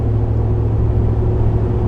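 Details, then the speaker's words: 2013 Ford Raptor Gen 1, about 184,000 miles, driving after rear-end rebuild to cure a humming rear end: only even low tire hum from Maxxis Razor MT mud-terrain tires, no whine or clunk from rear end; quiet, healthy differential. "Caleb knocked this thing out, and as you can tell, there's like no noise coming from the rear end."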